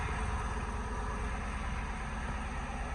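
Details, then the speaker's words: Ford F100 on swapped Crown Victoria frame and V8 drivetrain, first start after wiring with PCM ground connected: deep even V8 idle, steady low rumble, no knocks, misses or ticks; sounds healthy. "There she is, running. Sounds good too. Sounds pretty good."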